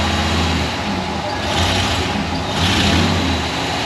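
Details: Ford 302 V8 in an Econoline van, first start after replacing the bent #5 intake pushrod; ECU is in open loop and oil is burning off the manifold. It fires and settles to a steady, even idle on all eight cylinders with no misfire or tapping; normal.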